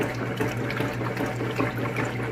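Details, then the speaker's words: GE top-load washer during a full-cycle test, lid switch bypassed with a magnet: steady motor hum under rhythmic water sloshing as the submerged load swings back and forth; normal agitation, no knocking or grinding. "alright I'm going to show you real quick that it's agitating"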